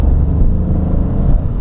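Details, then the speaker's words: Peugeot 208 I Phase 2 Style 1.2 VTi 82 hp on a test drive accelerating on a straight: steady deep drone pulling evenly, no surges, stumbles or jerks between gears; normal acceleration. "Franchement, réagit très bien. Il y a pas d'acoup entre les vitesses."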